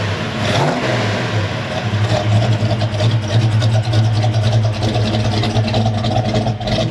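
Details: Restored 1970 Chevelle SS454, 454 cid big-block V8 rated 360hp with Turbo 400 automatic: deep, strong rumble swelling with throttle blips and settling back, steady and even throughout; normal healthy running and revving.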